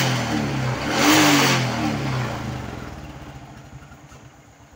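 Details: Honda Kharisma carbureted single after repair of a leaking fuel-tap vacuum that had caused stuttering, hard starting and fouled plugs: a clean rev rising and falling smoothly, then a steady, even idle; running properly.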